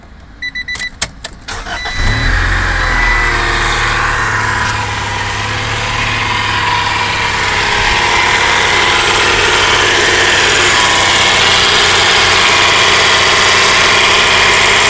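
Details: 1995 Acura Integra B18B engine starting and settling to idle with a busy, hissy rattle riding high above the low idle note; first time it has done this; owner suspects the noise comes from the cam gear, unconfirmed.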